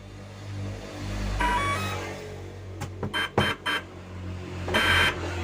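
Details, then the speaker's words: ESC being calibrated for an MJX Bugs drone (throttle at max, ESC powered on, then throttle lowered): short bursts of beeps, then a longer tone confirming the throttle calibration. "nah artinya ISC ini sudah terkalibrasi dengan parameter sesuai pada ISC mgx"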